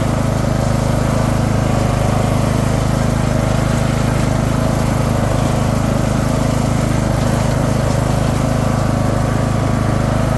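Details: Craftsman II lawn tractor with swapped-in newer single-cylinder engine and a bad key switch: steady even drone, smooth low beat, no misses or surging; running healthy.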